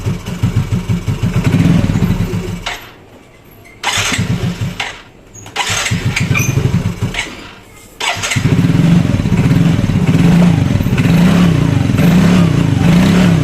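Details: Yamaha Mio Fino 125 fuel-injected scooter that won't hold idle, before repair: slow, uneven idle pulses that sag and nearly quit a couple of times before catching; idle too low and will stall.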